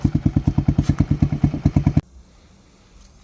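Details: Honda Grom clone, cold start with new CDI and ignition coil, warming up: steady single-cylinder thumping at about three beats a second, even and clean before it stops; normal idle.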